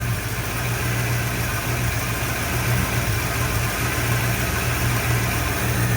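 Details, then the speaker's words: 1979 Ford F100 with 302 engine and aftermarket carb, idling at about 850 rpm and dropping to 570 in gear; choppy, sporadic, uneven idle; owner suspects vacuum leaks or timing being off and plans cap, rotor, wires, plugs, possibly coil. "So this is idling at about 850, and it's really like kind of choppy, and when I put it in gear it goes down to 570, but the idle's very sporadic."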